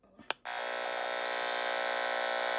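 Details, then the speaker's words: LED shop light heard through an LM386 hum-finder antenna probe: after a click, a steady, harsh, rhythmless electrical buzz that occurs only with the light on; EMI radiated by the light itself. "So there's something right there that's generating a lot of noise. And it's only with the light on, so it's coming from the light itself."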